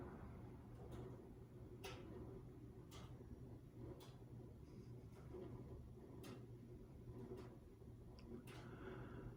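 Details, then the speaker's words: Emerson 1895 Series 52-inch four-speed ceiling fan on lowest speed: quiet, steady, even low hum; healthy smooth low-speed running. "very nice low speed at that"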